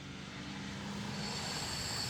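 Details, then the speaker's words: Chevy Cruze/Sonic 1.4L turbo cooling system being pressure-tested at about 19-20 psi with compressed air: a steady hiss swelling with a faint whistle as the radiator cap vents the excess pressure, as designed. "and now you'll notice if I open a little bit you'll hear the the cap hissing"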